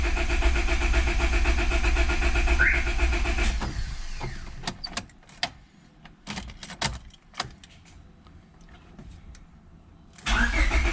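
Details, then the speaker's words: Honda Civic B20, day two after block weld repair of broken VTEC fitting hole: starter cranks evenly about four turns a second, stops, cranks again, never catches; crank no start, owner suspects alarm system. "this is currently day two of working on the honda like you saw it's all back together and the car doesn't want to start"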